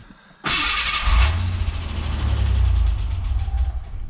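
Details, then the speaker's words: Ford Bronco II 2.9 V6 with intermittent idle hunting, started cold at about 70°F: short crank, clean catch, revs flare then settle to a steady even low idle, no longer rising to 800–2000 rpm while warming; normal cold start. "okay that's normal it does that sometimes there it goes I mean it's pretty smooth used to it' go up to like 8 to two grand warming up like this"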